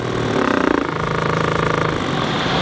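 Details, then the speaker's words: Wrecked Mercedes-AMG GT, warm engine with cooling system being bled: radiator fans switched on spin up with fast, even ticking and rattling in time with the blades; something caught in the fan is being struck. "so there's obviously something caught in the fan in here and I don't know how I'm going to get into that"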